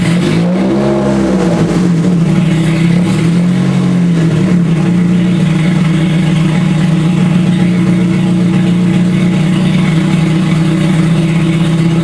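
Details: Scion FR-S with a rebuilt 3SGE engine swap: strong, steady note with smooth rises and falls in revs, no knocks or misses; the engine pulls cleanly and runs fine.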